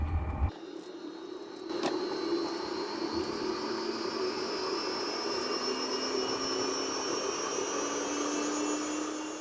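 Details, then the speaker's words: Chinese diesel heater running normally after startup: glow plugs off, fuel pump ticking, steady burner rush with fan tone climbing as the heater heats, current building back to around four amps. "as the fans accelerate as the heater gets hotter you can see that the amps build back up to around four amps"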